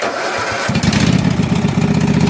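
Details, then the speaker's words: Husqvarna mud mower, 18hp Kawasaki V-twin, started after about 5 minutes submerged in a pond with water in the gas and oil; float bowl drained, fresh gas with Sea Foam. Cranks briefly, catches at once and settles into an even V-twin patter: normal start and idle. "so apparently this is a really good motor if it was completely submerged under water watering the gas um watering the oil a lot of water in the oil and it fired right up and ran"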